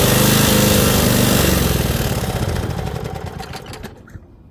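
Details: Toro 5.5hp self-propelled mower, single-cylinder, running at full-run throttle during an extended 10-15 minute test; steady, even chug improving over time, then slows and dies on shutdown; no knocks or misfires.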